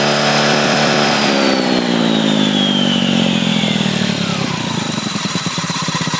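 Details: Honda Ruckus scooter, owner unsure what his variator's odd sound is: engine winds down with a sweeping whine falling in pitch alongside it: abnormal variator noise.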